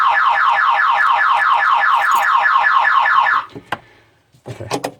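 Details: 1992 Toyota MR2 after refitting the alarm: rapid warbling siren chirping about two and a half times a second, then cutting out into clicks; car alarm sounding.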